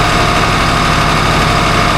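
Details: Port engine of 47 ft Carver motor yacht, at about 1500 rpm, starboard at 1500: dense even diesel drone, no grinding, squeal or knock; no more noise, supercharger hopefully saved.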